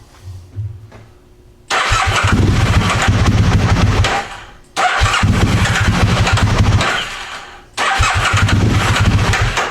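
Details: Aprilia Mille R V-twin, fuel pump on: catches and revs hard in short bursts, then dies each time; owner suspects fuel pump not holding pressure but is unsure, engine stalls after revving.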